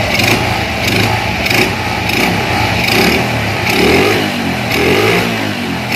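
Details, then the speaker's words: Honda Astrea Grand motorcycle with Shogun Kebo CDI after modifying the pulser pick-up point to shift ignition timing: small single throttle blips about once a second, each rising and falling back cleanly with no popping or hesitation; normal revving. "خوب برای انتقال ، بله، مراحل اینجا درست است، ما کمی گاز را امتحان می کنیم تا توان کمتری تولید کنیم"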